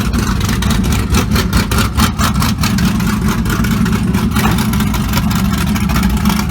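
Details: LS3-swapped 1975 Monte Carlo with big cam, exhaust cutouts switched to loud mode: loud choppy lopey idle whose pulse swells when revved; healthy big-cam V8 with exhaust wide open.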